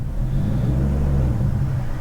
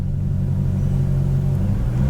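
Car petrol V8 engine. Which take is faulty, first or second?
first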